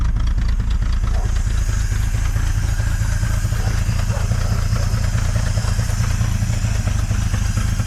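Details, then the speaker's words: 1950 Dodge Meadowbrook old six, still cold, strong fuel smell, viewed from a low angle: deep, lumpy idle with uneven thumps and wavering beat, lots of shaking, running worse than before; rough idle, cause unknown. "All right, on this lower angle, there's quite a bit of shaking. It doesn't seem to be running as well as it was before."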